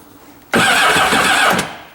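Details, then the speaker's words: Kawasaki STX-12F jet ski, fuel tank empty and fuel pump and sensor removed: about a second of even steady starter cranking, engine spins freely but cannot fire without fuel; cranking normal. "that that's an engine trying to crank alright so that's a good deal"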